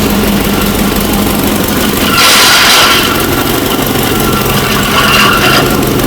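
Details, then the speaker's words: Abandoned 1960 Nash Metropolitan restarted after revival: quick even firing under loud fan roar, two short throttle blips pick up cleanly; running well, normal running. "all right well it's running really well"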